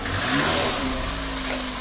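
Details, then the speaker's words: VAZ 2110 after fixing strong body vibration and knocking, blamed on an incompatible Priora stabilizer, with the generator mount rechecked: smooth, even revving with no knocking, rubbing or rattle through the body. Normal revving. "Вибрация полностью исчезла. Кажется, здесь больше никто не стучится в дверь. Да , никаких стуков, никакого трения."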